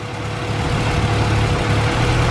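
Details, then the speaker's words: Honda Civic EG hatch, long-stored, after cleaning corroded idle air control valve connector prong: steady, even idle with smooth low hum, no misses, knocks or hunting; normal idle restored. "So it had corrosion on the prong for the idler control valve. So I've cleaned it and put it back together. And now, since our starter signal doesn't work still, we still use this here, and it's idling."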